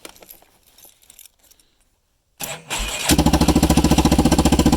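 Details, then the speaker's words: 1998 Yamaha Kodiak quad, abandoned, running on fresh fuel via a solenoid bypass: brief crank, catches easily and settles into a very loud, even idle with steady exhaust pulses, loud because the exhaust terminates in the middle; normal start and idle. "starts up very easy catastrophically loud because the the exhaust terminates right in the middle there"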